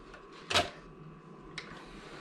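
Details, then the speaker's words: PlayStation 2 powering on but struggling to read discs, including DVDs: two sharp dry clicks about a second apart over a faint hum as the laser hunts; optical drive clicking from weak laser. "This one is struggling to read. I can hear the disc making clicking noises, but that's about it."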